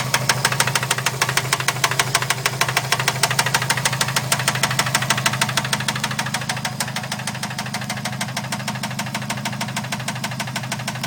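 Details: 2011 Subaru STI, bone stock, about 16k miles, started knocking on the way home: idling engine with a rapid, steady, evenly spaced, sharp metallic knock.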